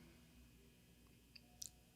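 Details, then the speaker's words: Newly installed gas tankless water heater, batteries fitted, cold water on and hot faucet open: a few sharp, crisp ticks in quick succession as the igniter engages to light the burner. Normal igniter clicking. "for the clicking of the unit this signals that the ignition is engaged and telling the unit to ignite"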